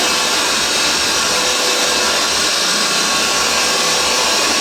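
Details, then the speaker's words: Vintage Hoover 612 upright vacuum after refurbishment, switch cleaned of fluff: loud, even high-pitched rush with a constant motor whine, no rattles or surging; running strong and healthy. "Have a look at that, but as you can hear, it is absolutely superb."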